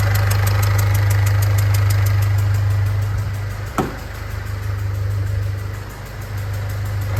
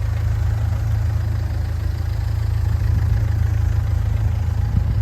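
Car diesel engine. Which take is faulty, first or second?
first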